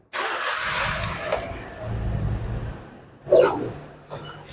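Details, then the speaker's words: Perodua Myvi 1.0 EJ engine that used to run rough only when hot, after repair and fully warm: starts promptly and settles into a steady even idle with no stumbling or missing; normal hot start. "Sekarang ini kereta sudah siap, tidak semput sudah ya."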